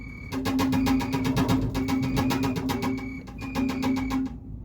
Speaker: And again, oh, I just gave the machine a jiggle and my prop rod is like banging on the side of the cabinet, making for a fun sound effect. It's like a old school shaker motor almost.